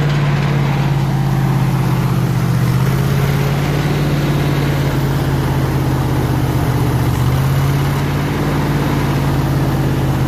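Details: 302 V8 powering an air compressor, after the troublesome HEI distributor was swapped back to the old points distributor and the carburetor rebuilt: steady, even low rumble, no misses, knocks or surging over ten seconds; idling smoothly and healthy.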